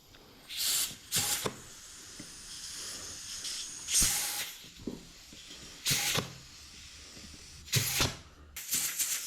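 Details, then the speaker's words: Rebuilt 1968 Ford C6 automatic transmission, bench air check of a clutch drum after fitting new clutch packs, pump and shim: sharp air bursts, quiet between with no steady bleed; piston holds, check passed. "so I got my pump sitting here I got my one prone shim and put right there uh this guy right there now I should be able to do a air check"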